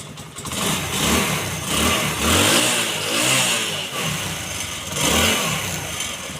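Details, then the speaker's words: Motorcycle after lighting/charging coil repair and rewiring: small single revs up and drops back cleanly several times, steady firing, no misses; runs normally with charging current present. "ये तो हो गया चालू।"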